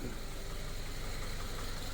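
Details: Subaru FB engine, after a no-oil-pressure fault following an oil change (paper towel believed left in the funnel), with the pan refitted, runs an hour and revved: smooth even idle, steady hum, no rod knock. Normal idle.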